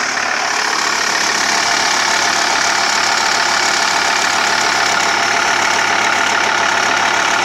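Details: TDI diesel at idle: a fairly even light tick or click about three to four times a second over a clattery background. Crankshaft pulley and tensioner replaced, timing belt changed 20,000 km ago; owner doubts it is timing. Source unknown.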